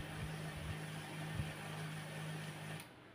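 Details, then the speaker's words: HP LaserJet P1102 mono laser printer, customer unit brought in for clacking at startup, powered on with the door closed: steady low motor hum for about three seconds with no clicking; the clacking did not recur, startup sounds normal. "Bây giờ mình sẽ bật nguồn các bạn này bật nguồn này Ô bây giờ lại êm các bạn này bây giờ lại êm"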